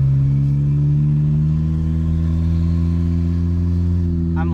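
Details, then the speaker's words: Turbocharged automatic Honda Civic on test drive after DIY turbo kit install, about 5 lb boost, no tune yet: steady engine drone on light throttle with a faint rising whistle as the turbo spools; sounds healthy, normal turbo spool. "on the throttle and you can hear that turbo [Laughter] [Music] spool"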